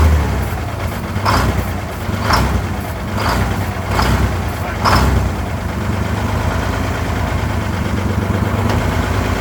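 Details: 1970 GMC Astro, Detroit Diesel 6-71 two-stroke, after 25 years off the road: deep idle with rhythmic swell about once a second, rpm hunting instead of holding; surging idle, cause not confirmed.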